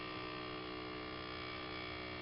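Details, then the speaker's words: 1982–1992 Firebird rear hatch pull-down motor, with the hatch stuck up: a quiet, constant electric hum that never stops, even when the hatch is pushed down, until the battery is disconnected; pull-down motor running continuously. "I'll open up the trunk our hatch with button it releases it comes up just fine and you can hear the motor running non-stop"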